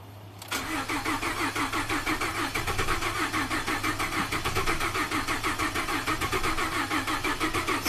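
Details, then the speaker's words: 2012 Ford F-150 EcoBoost, 220,000 miles, crank no-start with low fuel pressure code: steady cranking about three beats a second with occasional brief attempts to catch that never run; suspected failed high-pressure fuel pump, timing not yet ruled out. "The truck is, you can hear that once in a while it goes, bah, bah, bah, bah. You know, it tries to start but then does not fire."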